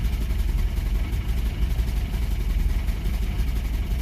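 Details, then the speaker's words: Toyota 22RE truck engine, unstarted three to four weeks, fresh fuel, idling with a low lumpy pulsing hard shake near stalling; owner suspects poor battery cable connection, cause unclear. "This is one idle now. There it goes. Well, it's got a hard shake to it anyways."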